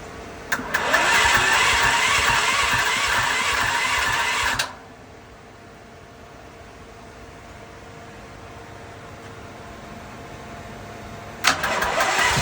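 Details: Westinghouse WGen10500TFc tri-fuel generator on natural gas, hard starting since purchase: two bursts of cranking separated by a pause, never firing; it takes about 5 minutes of attempts to start, then runs normally; cause unknown.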